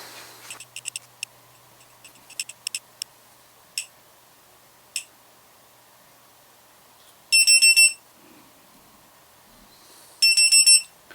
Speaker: this is the first alarm and it beeps every two seconds it'll do this for the first two hours after that will be every five seconds until six hours has gone past